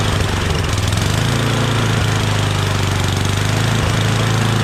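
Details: Yardman 8.5 26" dual-stage snowblower, reassembled from parts, just started on starting fluid: small single-cylinder engine settles into a steady, even chug with a firm low note and no misses; good, healthy idle.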